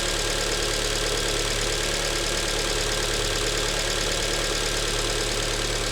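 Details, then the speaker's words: Alfa Romeo MiTo QV 1.4 TB at idle after a timing belt change and oil change, engine cover off: a light, even ticking about three per second over a steady idle. Normal injector noise, louder with the cover off. "It's running now and running normally. The injectors are rattling. Now it's missing that engine cover, so that sound is a bit louder."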